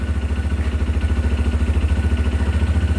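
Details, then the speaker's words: New CFMoto Papio XO-1 motorcycle, not yet at its first service: steady low engine pulse around 3.5 beats a second with a faint rubbing whir underneath, as if the drive chain scrapes below. Rider finds the chain very tight. Noisy drive chain. "so paki-comment na lang kung bakit siya parang may sumasayad sa ilalim yung kadina"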